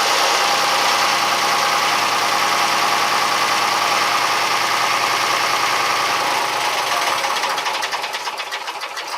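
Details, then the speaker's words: Fisher 30 boat diesel cranked with the compression releases open so it won't start, to circulate oil after the cooling system refit (new impeller and thermostat). Steady churning of about three turns a second, no firing; the water pump picked up water. Normal cranking. "I'm going to crank the engine over without starting at Copely and that will give the oil the chance to circulate around in there fact I think that I even open their compression releases here so it won't start up it'll be able to spin real fast"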